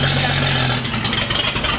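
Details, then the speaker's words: 1959 Chevrolet Apache that sat about 40 years, with oil pressure and charging shown. Rough engine note catches and runs briefly, then sags and stumbles as it runs out of gas; dies. "will i idle yeah good lord you got it's running out of gas and you got oil pressure you got amps"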